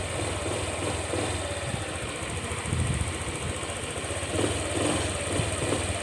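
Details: Honda Click 125 scooter at 160,000 km, after the crankshaft and connecting rod assembly were replaced to cure a rod knock: steady, even idle with a soft low hum and no knocking or tapping; normal idle.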